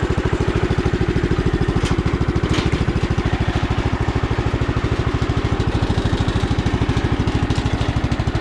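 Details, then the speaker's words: Sears Custom 7 garden tractor, circa 1968–70, revived after years broken down: steady single-cylinder thump about 200 per minute with no misses or knocks. The engine runs smooth, though some pulley bearings are a little noisy and the starter sounds bad. "Runs really smooth though. I think a couple of the pulleys are still, the bearings are a little noisy, but overall the motor runs super smooth"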